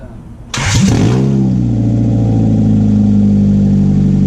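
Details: 1996 Honda Prelude Si H23A1 after engine install, in neutral, on old fuel with some vacuum lines left unconnected, owner says it leaned out. Sharp crank burst, then a loud, lumpy idle that keeps breaking up; rough running, cause unconfirmed.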